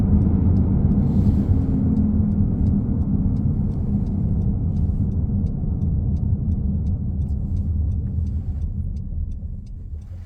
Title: 2015 Honda CRV Touring Loud/Humming Noise coming from the back